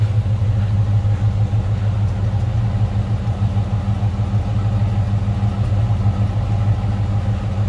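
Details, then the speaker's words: 1969 Chevrolet C10 with 350 small-block V8 and automatic: deep, steady low rumble with an even beat and no knocks or misses; healthy normal idle. "too crazy on the exhaust side of things just a nice Rumble coming out of that 350."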